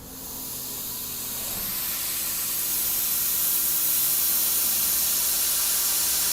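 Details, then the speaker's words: Old tire on an abandoned 1969 Ford F100 that sat over 30 years, being aired up: steady hiss as air escapes as fast as it goes in, no pressure building; tire off the bead and split near the ground. "Coming out as fast as going in, sounds like. Just going at it. Yep. Yeah, that was a no-go. That's off the bead, the rim lock."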